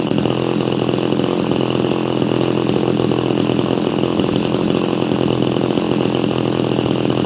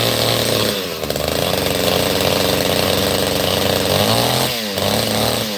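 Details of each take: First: Chainsaw, apparently an XL Super XL Automatic, with all-factory unmodified exhaust, warming up after first getting it running: an even, steady two-stroke buzz with no misses or surging; pretty quiet and purring along nicely. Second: Chainsaw just started after full choke, still cold: saw revs unevenly and burbles off throttle, no crisp note; sounds a bit rich, owner plans to let it warm up before tuning; cause suspected, not confirmed.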